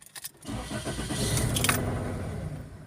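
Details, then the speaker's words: Toyota with igniter trouble codes (P1300–P1325 range) cranks, catches, runs roughly a second and dies after codes were erased; stalls right after start, suspected ignition coil, wiring or PCM cause unconfirmed. "oh the car dies again let's off it and start it"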